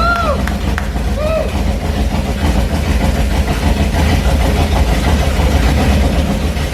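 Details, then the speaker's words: HT Holden newly installed 253 V8 with straight headers on its first brief run: loud, uneven running with a busy mechanical rattle over the rumble. No oil pressure was seen on the gauge and the owner was unsure it ran long enough; oil level just below full. "It should have been, I think, to start building some oil pressure. And we didn't see any of it, and it sounded, well, rattly."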